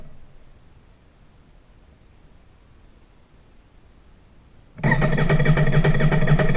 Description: Royal Enfield INT 650 failure to start